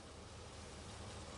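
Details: Stuck 1956 Packard 374 V8 started for the first time in years: steady, slightly rough low rumble with no knocking or clatter as the engine catches and keeps running.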